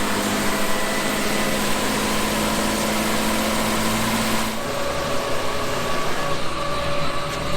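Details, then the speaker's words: 1954 Chevrolet 210 with original 235 straight-six and Powerglide transmission, before the V8 swap; smooth, even idle with a steady low hum and no knocks or ticks, great oil pressure, normal idle. "As you can see, the gauges showed it's got great oil pressure. Sounds good out here too."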